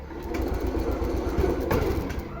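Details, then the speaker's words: TVS Jupiter BS6 scooter before repair, with hard starting and stalling; it started only after a new spark plug was fitted. Small buzzes at idle while the revs rise and sag every second or so, unsteady. Mechanic suspects a stuck ISC valve built into the ECM. "Start ആയി എന്തായാലും അത്ര perfect ആയില്ല ഇതിന്റെ ISC valve എല്ലാം stuck ആയിരിപ്പുണ്ടോ എന്നൊരു സംശയമുണ്ട്"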